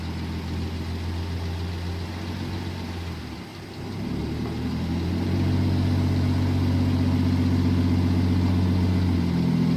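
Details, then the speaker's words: 1967 Jeep Gladiator, 6k original miles, revived after 40+ years dormant: idle smooths and exhaust cleans up as carburetor mixture is richened a quarter turn and vacuum rises, from previously lean running. "see how the vacuum came up and it almost smoothed out we just gave it another quarter turn that's pretty good we'll just give it a little bit more i think that's good hear how the exhaust kind of cleaned up"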